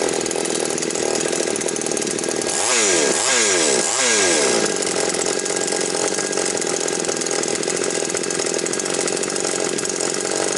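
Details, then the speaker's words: Chainsaw previously surging with dropouts and not responding to carb adjustment, after richening the mixture: three quick blips then a steady even high buzz, no dips or hunting; running well. "Ну, бачите, працює добре."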